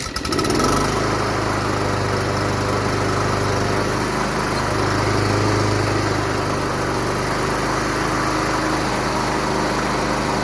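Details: Craftsman Professional self-propelled mower, Kawasaki 179cc, model 12AE997E099, with self-propel complaint (pulls right): after a sharp pull start, settles into a steady even buzz at constant speed; engine runs normally.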